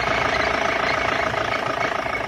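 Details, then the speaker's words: BMW E46 with M47 136 hp diesel at idle: thin constant whistle above the clatter near the turbo and high-pressure fuel pump, like a pulley though none is there; it can strengthen or fade, and disappears with a little throttle; belt checked fine, source unconfirmed. "Передаст ли, но вот что-то вот подсвистывает, вот где турбина. Турбина может так свистеть?"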